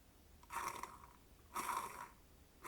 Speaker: But the single biggest issue with these bearings is how sensitive they are to dust and dirt. If you happen to get anything into these bearings they start to sound like this.